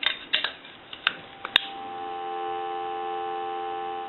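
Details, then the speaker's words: AE Monophone rotary desk telephone with a replacement receiver capsule in the handset: after handling clicks a strong, steady dial tone, unlike the nearly shorted original capsule; the receiver works normally. "a noticeable difference so we know that this receiver is good and we know that before neither re uh receiver was working"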